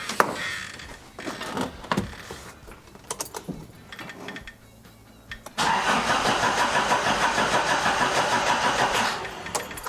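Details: "The 200" after a new crank angle sensor is fitted: some clicks, then the starter cranks evenly at about three turns a second for several seconds, but the engine never fires. Cranks but won't start, though spark is present.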